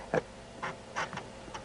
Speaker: So, disk in, flap down. Push orange button, red light on, whirring sound.